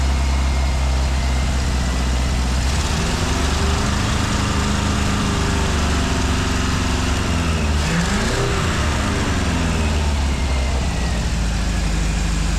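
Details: 1965 Ford 289 4-barrel V8 for a 1955 Ford pickup, now with exhaust fitted, warming toward about 180°F: idle keeps surging and sagging, never settling to an even beat; it won't idle and a carburetor rebuild kit is on order.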